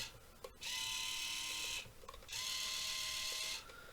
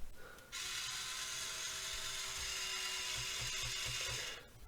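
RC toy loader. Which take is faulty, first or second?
first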